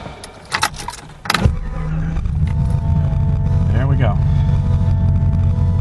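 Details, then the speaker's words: 1978 Datsun Z car with 350 HO crate V8, Edelbrock Performer intake and carburetor, cold start after sitting: a few clatters, catches, then steady slightly raised fast idle on the electric choke, normal until the choke warms up. "okay it's up on the electric choke right now it always does that when it sits down once that the choke warms up it takes off"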